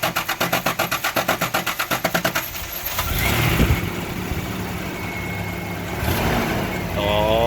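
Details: 1989 Toyota Pickup after replacing injector O-rings and fuel rail copper washers to fix a fuel leak, with new exhaust from the O2 sensor back and gutted cat: a couple of seconds of rhythmic cranking after priming, then it catches and settles into an even idle.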